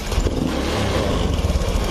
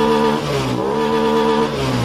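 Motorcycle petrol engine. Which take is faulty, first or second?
first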